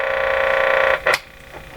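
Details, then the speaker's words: Crosley Mohawk 14B tube radio with the volume control output capacitor replaced by a substitution box on long test leads, volume turned up: a loud, buzzy hum fills the speaker, vibrating the bench, then drops away; mains hum pickup from long test leads. "now why all the extra noise now because I turned it up wow there's a difference my whole bench is vibrating when I set it low there's a very low sound you can't hear it but I feel it"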